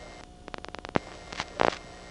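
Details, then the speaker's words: GEdney 9 panel telephone exchange in Brooklyn, 1977: the incoming selector with a quick run of light clicks, a sharp clack and a short buzzy burst; little static because the incoming selector doesn't make it; normal. "not so much static this time because we're on the incoming which doesn't make the static"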